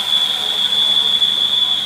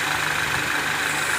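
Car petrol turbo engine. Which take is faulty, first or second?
first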